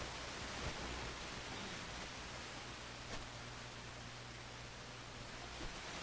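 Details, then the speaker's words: Nordmende 3004C radio, FM tuner on original FM antenna: steady rushing hiss with hardly any station coming through; weak FM reception, band shifted off range, local oscillator problem suspected. "well, not too good. I'd say weak is what I think. I think I'm confirming the diagnosis here."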